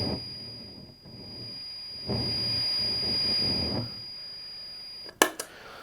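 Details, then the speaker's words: Homemade Dallas Rangemaster treble boost clone with 1960s OC44 transistor, run off a standard Boss switch-mode power adapter: steady high whistle over hissy buzz that worsens as the pedal is turned up; old transistor dislikes external supply. "this is actually caused by the pedal being run off a standard switch mode type power supply the problem is you see that old transistors like the oc 44 from the 60s really don't feel happy with things like external power supplies"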